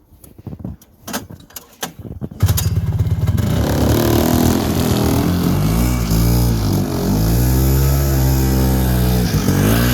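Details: 1976 Yamaha GP300 snowmobile, two-stroke with lightweight pull start, 45 years old: a few pulls, then it fires and settles into a crisp, even burble that picks up cleanly on the throttle; healthy.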